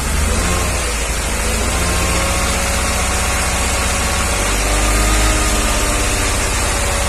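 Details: 1994 Mercedes G320, Japan import, steady held idle during an injector-cut test: light metallic ticking about four per second; diminishes significantly with cylinder 2 injector unplugged; worse cold, piston knock (cracked or scuffed piston) suspected, unconfirmed.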